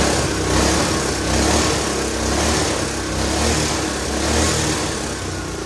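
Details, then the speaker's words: Old custom go-kart with Honda engine of unknown size, on jack stands with wheels spinning; starts right up and runs at a steady, slightly surging fast idle with no knocking or misfire. Normal running. "i'm just being on jack stands they want to spin right away but he starts right up"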